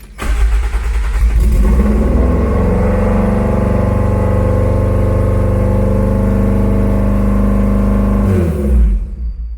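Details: Toyota AE86 first start in years after four-year revival: engine catches, climbs and hangs at fast, slightly shaky idle for several seconds, then drops; idle too high, suspected stuck-open idle air control valve needing cleaning, not confirmed.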